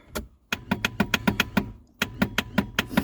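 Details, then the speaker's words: Reliant Rialto pickup on its first start attempt in a decade: two bursts of quick starter clicks with no cranking and no fire. The owner suspects a seized inertia starter head not engaging the flywheel and plans to remove the starter. "We ain't got no fire. Our starter motor was just click, click, click."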